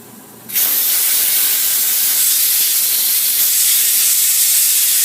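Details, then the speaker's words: Tire being mounted on rim at home with air compressor quick-connect tip: loud steady hiss of air escaping where the tire bead hasn't sealed against the rim, so no air goes into the tire. "Alright, so that means if you hear that weird noise, it means that there's no air going in the tire."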